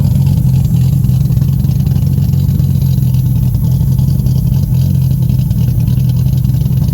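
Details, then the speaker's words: Freshly built forged Nissan RB30ET turbo six in an R31 wagon, first start with healthy oil pressure and fresh cooling system; deep, steady, even note with no knocks or rattles, super responsive: normal running. "motor she SS good but sounds real good and it's super responsive like straight away this is going to be sick"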